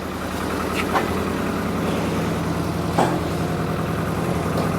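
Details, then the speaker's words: Engine idles rough and uneven, a lumpy stumbling beat with dips in firing, not running on all four cylinders; no water found in it, blamed on head gasket failure. "Yeah, it's not running in all four, is it? What? It's not running in all four."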